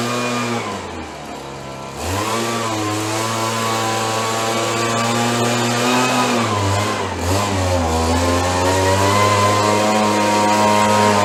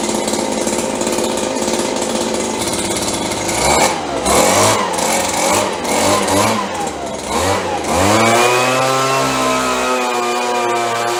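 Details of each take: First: Roughly 30-year-old Stihl BG72 two-stroke gas blower, warmed up on the starting bench after repair: a smooth, even buzz climbing steadily with throttle, with no stumbles or misses. It started rough on choke but runs normally when warm. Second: 30+ year old Stihl BG72 two-stroke blower, cold start on choke: surges and stumbles unevenly, revs hunting before settling steadier; rough running when cold, better once warm.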